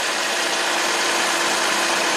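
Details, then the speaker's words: 2007 Lexus RX350 V6 at 190k miles on its second engine, after repairing a wiring short that blew the EFI fuse and overheated the fuel pump resistor: a smooth, even idle hiss and hum with under 10 amps steady and no relay clicking. "steady relays not clicking or anything car's happy so I'm going to clear the codes out"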